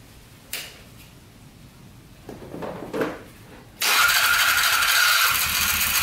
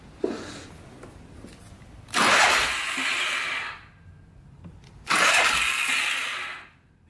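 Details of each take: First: Polaris 500 4x4 ATV with plow, first start after fixing a no-spark fault, choke on. The starter spins, then the engine catches and settles into a steady, even idle with no knocking: normal idle. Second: Polaris 500 4x4 ATV with no spark: two bursts of high free whirring with no cranking thump. The starter spins without engaging; owner suspects tampered starter gear parts not engaging, and rubbing marks inside the cover raise possible clutch play.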